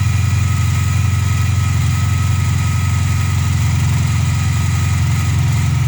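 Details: VW Polo Playa after replacing the snapped distributor wiring plug that caused a no-spark no-start: steady, even low hum at idle with no misses, knocks or hunting; small petrol engine idling cleanly.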